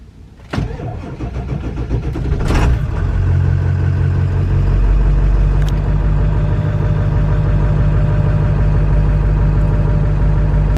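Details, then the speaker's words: Slow cranking on a 1999 Ford 7.3 Powerstroke diesel with 207,000 miles and batteries about 2.5 years old. Labored, sluggish cranking for about two seconds, then it catches and idles. The owner suspects the starter, otherwise the battery; a gear-reduction starter is planned. "as you can see, it's cranking over slow, and I have a feeling that it's a starter. It might not be, but we are gonna find out today."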